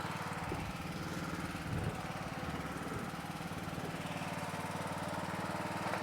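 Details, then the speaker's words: Craftsman LT1000 lawn tractor: single-cylinder engine putters at a steady, unchanging speed with no hunting; carburetor works well, no surging, though surging was a big problem with it; normal running. "As you see, the carburetor works great on this model. No surging. Surging was a big problem with this."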